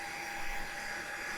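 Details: Cisco Nexus C3048TP switch booting after initial setup, fans at full speed, airflow checked as ports-to-rear hot side; loud steady air rush with a faint constant whine, as loud as heard, normal.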